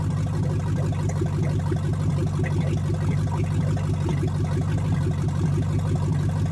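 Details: 1970 Chevrolet Chevelle engine revived from a field car, first start after reassembly, choke off, timing set by hand: low lumpy V8 idle with a regular stumble about twice a second, like one cylinder down; misfire, cause unconfirmed.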